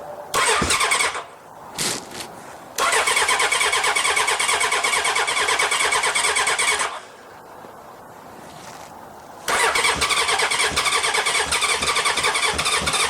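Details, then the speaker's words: 1981 Honda CB750K parts bike on about 250 ml of borrowed gas: bursts of fast, even starter cranking with no firing, and a lot of gas leaking out; cranks but won't start. "he doesn't want to start there's a lot of a lot of gas leaking out yes that's garbage"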